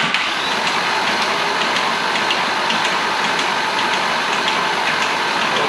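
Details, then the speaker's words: Rebuilt engine's first crank, new timing chain tensioner: light, uneven ticking rattle under starter whir, chain noise as oil pressure has not yet reached the tensioner/chains; cleared after further oil cycling. "it almost sounds like there's a little bit of chain noise so I'm just going to keep on cycling oil seeing if uh if maybe just oil pressure hasn't been able to reach the chains enough"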